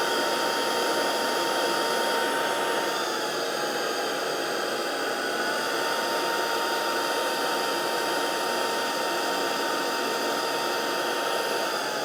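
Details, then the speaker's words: Proscenic P11 Smart vacuum in automatic mode, brush pressed by foot to add resistance: steady high motor whine with airflow hiss shifts up as brush is loaded, settles back 2-3 seconds after release; normal auto power boost. "on entend bien le moteur qui augmente sa puissance quand je mets le pied sur la brosse et qui, au bout de 2-3 secondes, quand je retire mon pied, rediminue à nouveau la puissance."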